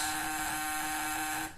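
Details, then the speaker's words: Homemade electric fishing shocker with a vibrating contact breaker (platina) and capacitor/condenser: a smooth, even mid-pitched buzz with a small spark and no heating at the points, reading perhaps around 40 V. It is running normally. "halus dan juga percikan api juga kecil teman-teman ya percikan api pada Filipina kecil dan pelitian ini tidak panas teman-teman"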